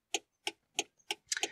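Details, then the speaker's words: DIY relay-based trailer lights controller in a car, right-hand indicator switched on: crisp, evenly spaced relay clicks about three a second in step with the flasher; relay pulls in and drops out properly. "i'll switch on one of the indicators and you will hear it actually the relay clicking in and out that's the right hand indicator working there and the little relay is clicking in and out"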